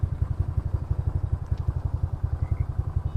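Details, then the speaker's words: Yamaha Mio Fino scooter, 160cc, 28mm roundslide carburetor, cold idle after fixing a previous hard-starting problem. Low, even putting beat of about nine pulses a second that holds steady without stumbling or stalling. Normal idle. "Yan yung tunog. Kung naririnig nyo. So, kung nakaraang video sablay, hindi siya ma-start ngayon, okay na siya."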